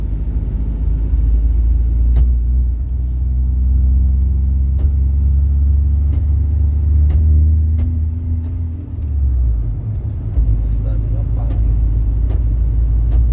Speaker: Escutou esse barulho do câmbio aí? Pois é, Ford Ranger Power Stroke com 175 mil quilômetros rodados. O cliente veio até nós relatando esse barulho absurdo aí no câmbio. E quando liga a tração, o barulho piora.